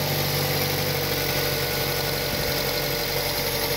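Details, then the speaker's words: 2006 Mazda 6 petrol engine idling in cold weather with the engine cover off, after fixing noisy hydraulic lifters: smooth, even hum with no more ticking. "here's how my car sounds now uh no lifters no noise just a normal running engine"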